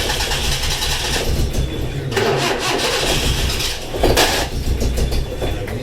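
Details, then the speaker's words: 1980s Suzuki SJ (Jimny) off-roader four-cylinder started: catches, then uneven lumpy run with stumbling beat; not running on all four, cause unknown, owner had played with the leads. "fired up as you can see in here it's not running on all four and I'm not sure why"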